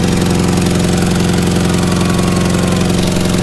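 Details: Car engine run with no oil pan and no oil: steady, fairly regular clatter about four beats a second over a rough idle as it runs dry.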